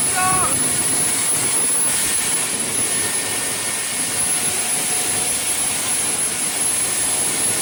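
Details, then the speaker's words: 2010 Camaro jet car, Boeing T50 turbine mated to 700R4, in park, foot off gas: steady even high turbine whine with constant air rush, no surging or rattles; normal idle. "Was your foot on the gas? No. No. He was out of the car. That was idle."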